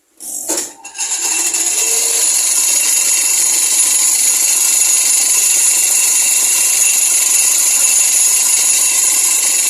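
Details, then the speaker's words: Sharp two-tub washing machine spin dryer: harsh, high metallic "cering" chattering, like metal striking metal, once the spinner gets up to speed. A loose brake pad is striking the motor base. "Pengeringnya suaranya berisik, suara cering cering cering cering seperti berbenturan antara besi dan besi. Seperti ini ya bunyinya."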